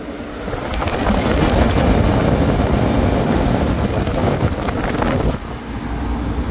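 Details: Walk-in freezer condensing unit restarted after defrosting an iced-up coil, sight glass clear: loud, even fan roar with steady low hum underneath, no rattles or surging; running normally.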